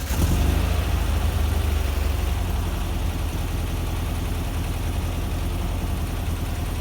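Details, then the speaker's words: Rebuilt air-cooled VW Vanagon Type 4 engine, cool start after sitting about an hour following a drive: steady, even low idle with no knocks or misses; normal. "so it's not going to be a cold cold startup but it's it's a cool we'll call it a cool startup so let's start it up then and we can listen to it idle all right"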